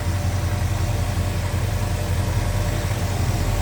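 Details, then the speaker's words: 1970 Chevrolet Chevelle big-block V8 with cowl induction, Edelbrock 4-barrel carb, headers, and HEI ignition, idling. The idle is deep and steady with an even pulse and no ticking or misfire. No big cam; it runs smooth and sounds healthy. "No crazy big cam in it, anything like that. This is just a nice running big block."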